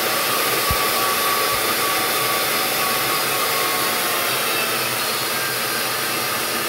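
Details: Electrolux 612E upright vacuum with a newly fitted replacement brushroll, run outside: steady, high, airy motor whoosh holding level with no rubbing or rattling; normal running.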